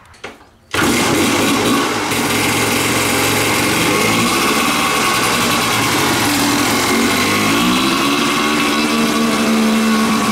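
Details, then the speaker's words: Kawasaki dirt bike, warmed up, on the Chinese knockoff carburetor during a load test: high, buzzy, strained rev with a thin crackly edge; owner thinks it's running a little too lean. "That took a lot longer. I almost think it's running a little bit too lean."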